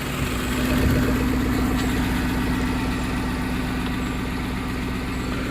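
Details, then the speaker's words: Ford F-150 4.6 V8 started cold, with many warning lights on and suspected timing issues, idling with a steady, even low rumble and a faint hum. It sounds healthy, with no timing chain rattle heard yet. "all right so we'll let it run for five minutes or so good sounding engine is just it's got some weird timing issues with it for no more not paid for"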